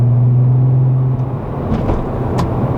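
Deep, smooth low hum that holds steady and then eases off, with no ticking or misses; a healthy six running evenly.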